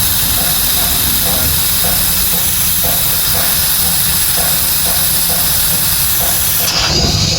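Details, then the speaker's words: Exhaust pressure governor removed from Volvo FMX 440 truck with weak exhaust brake, bench-tested with shop air: steady, loud, sharp hiss with no rhythm, air escaping from a hole-like spot in the governor. "langsung terlihat tuh bocornya dari situ. Ini ada kayak apa ya, kayak lubang, bocornya dari situ."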